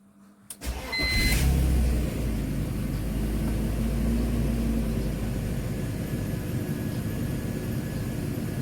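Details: BMW E46 325i with M54 six-cylinder engine, started with the door open. Short crank, quick catch and brief flare, then a smooth, even idle; normal start and idle.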